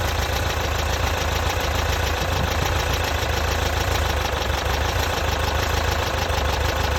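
Steady idle with a fast, even ticking knock riding over the low engine drone; could be knock, cause not pinned down. Cause suspected, not confirmed.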